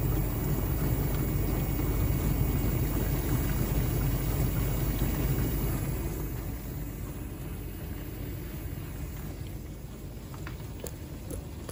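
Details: LG dishwasher circulation pump after bearing replacement: even low rumble of water being pushed round, steady then easing off, with no grinding or bearing growl; the pump runs clean.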